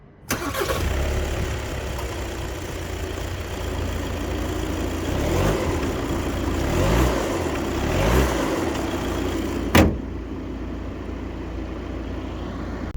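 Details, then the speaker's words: 2025 Volkswagen California T7 2.0 TDI 150 hp diesel four-cylinder starts and settles into a steady, ordinary diesel clatter at idle, with nothing abnormal. "Ja jednak do testu wybrałem 2.0 TDI o mocy 150 koni, który tak sobie klekoczy."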